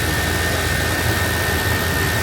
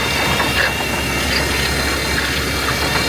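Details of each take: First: Old GMC squarebody truck after tightening a leak behind the belt tensioner: steady, even engine run with a smooth rush and no knocks, ticks or rattles; a whole lot quieter, sounds healthy. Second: Old GMC squarebody truck started in cold weather, idling with knocks; steady high-pitched squeal over the idle, constant with engine speed, source later found, part to be replaced.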